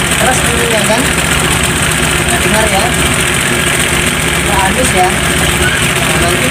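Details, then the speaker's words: Motorcycle engine, warm, at idle running rough with uneven tek-tek-tek ticking from the cylinder head top end; mechanic suspects the cam timing chain, to be replaced without removing the engine. "Nah, ini ya motornya agak kasar, Guys, ya. Coba ya saya hidupkan. Oke, bisa lihat sendiri ini tek tek tek itu ya."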